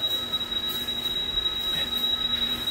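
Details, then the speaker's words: Firetrol diesel fire pump controller, main pump turned off for flow testing; jockey pump running as inspector test valve flows and pressure drops: high continuous ringing of waterflow alarm bell over faint rumble, sounding as it should. "Jockey pump is running and I can already hear the alarm. So, I'm going to hear the bell outside."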